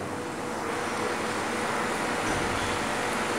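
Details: Homemade refrigerant recovery unit finishing recovery from an air conditioner, valve opened slightly more, pressure reaching zero just before shutdown: steady, even compressor hum with a constant motor tone and no knocks or rattles. Running normally.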